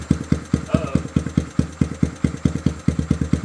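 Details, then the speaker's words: 1979 Honda Trail 90 after the carburetor was removed and its jets cleaned, warmed by a short ride. A small single putters at an even idle of about two pulses a second and keeps running: normal, healthy idle. "The bike's idling perfect. Sounds good."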